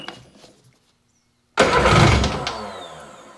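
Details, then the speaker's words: 2001 Sea-Doo GTX RFI 787 two-stroke with the throttle position sensor connected: a sudden ragged catch that flares and dies. Plugs come out soaking wet with gasoline; the injectors are dumping too much fuel. Hard start from flooding. "Plug coming out. Soaking wet again. Gasoline. Tons of it."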